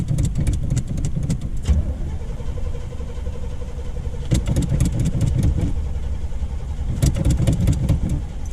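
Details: 1979 Chevy C10 factory 454 big block, sat five years, on ethanol fuel: starter cranks in bursts, V8 catches, rumbles unevenly and dies, cranks again. Owner suspects a bad fuel pump, not confirmed.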